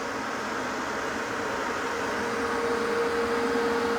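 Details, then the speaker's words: Hoffman weatherized enclosure HVAC heat pump, cabinet 3, cold December, heat circuit running with heat coming in: even airy whoosh with faint steady hum, no rattle, scrape or wobble; fan running normally. "Fan sounds good on that. We have some heat coming in."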